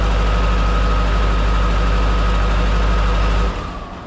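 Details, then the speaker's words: Duramax diesel in a C10 after fitting a used replacement injector: loud, low idle with a lumpy uneven beat instead of smooth clatter, then shut off; cylinder 3 still dead on cutout test, owner suspects injectors, unconfirmed. "As you can probably hear, it's the same thing. What are the chances two injectors both being shot? Still number 3, like when I do the cylinder cutout, cut number 3 out and it doesn't really do anything."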